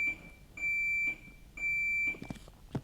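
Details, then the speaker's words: Gym defibrillator giving three clear, high half-second beeps about once a second. This is a low-battery warning; the unit needs recharging or a battery change. "That's the beeping. I don't know if you can hear that. You probably can hear that. I'm getting it sorted today. Just don't have a heart attack or anything in the gym until I've changed that."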